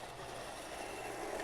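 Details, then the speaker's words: Tyco Mantua B&O model steam locomotive with a five-pole motor, unrun about 50 years, after cleaning of oxidized contacts. Running in reverse with a soft, even whir and no catches, surges or stalls. Normal running. "yeah reverse seems fine no problems there"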